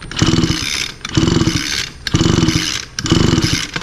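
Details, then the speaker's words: Echo SRM 225 line trimmer with a broken pull starter that would not start: four quick rope pulls about a second apart turn the engine over but it never fires. A fast-pull timing test shows the spark way past top dead center; the coil is suspected. "you can see that the timing the ignition is happening way over here which is way way past top dead center and there's no way the engine can run like that"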